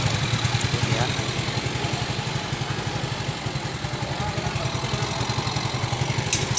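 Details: Yamaha FreeGo scooter that would not start (totally dead ECU) after fitting a new ECU: steady even putter at idle, regular firing with no misses or knocks; normal idle.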